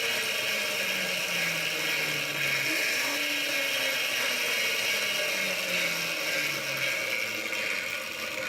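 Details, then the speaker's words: Quadra Sprint fitted with an electric scooter motor and chain drive, first power-on after final assembly with old master link reused; smooth electric whir with light chain rattle, pitch drifting with motor speed, no knocks or kinks; normal chain drive running. "caring I don't seem to be any kinks in the chain I think this thing's ready to hit the highway"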